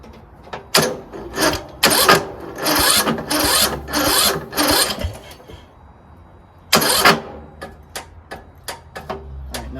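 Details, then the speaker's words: Troy-Bilt Pony lawn tractor: short uneven cranking bursts stop abruptly, then only faint clicks, then no click; no-start caused by the reverse/operation-mode safety switch locking out the starter. "it's locked up again. But we know it's the switch here. It's the uh reverse and operation mode on the other side. And now it's locked up again. And now it won't even click."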